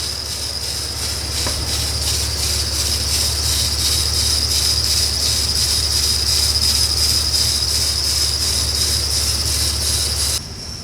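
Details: 2000 Jeep Wrangler TJ, 219,000 miles, warming up after reassembly, cold weather: steady shrill squeal over quiet idle, pulsing about three times a second; possibly idler pulley or water pump, not confirmed.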